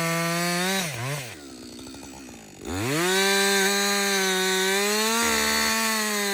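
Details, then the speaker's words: Husqvarna 562XP chainsaw after a shop software reflash for dying when hot and not starting: a high buzz sags briefly as the chain bites wood, then climbs back and holds steady revs through the cut. Running healthy under load. "so this is a real life scenario right we're cutting we're cutting yeah you keep working this is really the First full tank I've run"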